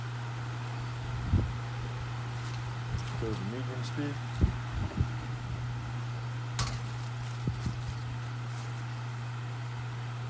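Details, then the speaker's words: 1996 Duracraft pedestal fan, now a parts fan, dirty from shed storage, on medium speed: low steady hum with even airflow rush, no rattle or scrape. The hum comes from the stool it sits on, not the motor. Normal running. "The hum you hear from it is from the stool it is sitting on. It's not the fan motor."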